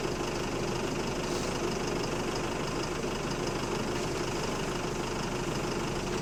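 Steady diesel drone with a heavy, rapid knocking under it that stays loud throughout, consistent with a worn connecting rod bearing.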